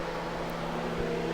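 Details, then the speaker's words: 2009 Honda Civic with ECT sensor 2 connector jumped by a 147-ohm resistor, key on, scan tool reading 0.45 V and 213°F: steady low electric fan whir, no rattle or scrape; fans run, wiring and PCM fine, sensor likely faulty. "And now you can hear the fans. Our fans are on."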